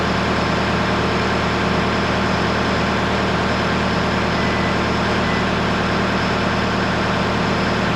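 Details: Case SV280 skid steer diesel idling after replacing rusted leaking main hydraulic supply line and two steel lines with rubber hoses: steady, even low rumble, no knocks or misses; checking for leaks.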